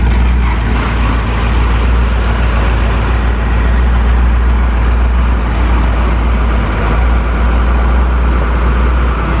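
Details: 1973 Ford Mustang V8 after fitting single-wire distributor, new plug wires, spark plugs and carburetor; deep steady rumble, even beat, no stumbling or popping; running clean, normal running.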